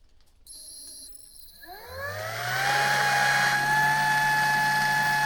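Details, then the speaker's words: Water pump transferring rainwater through a long hose at an off-grid cabin in freezing weather spins up and settles to a steady, unchanging hum and whine as it jams against the blocked hose; ice was found in the line, and a discharge plug is also suspected. "आप इसे सुन सकते हैं। आप इसे बंद होते हुए सुन सकते हैं, लेकिन फिर यह जाम हो गया है।"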